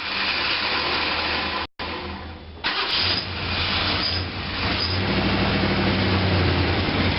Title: 1966 Mercury Park Lane 390 Grumpy cold start no choke exhaust leak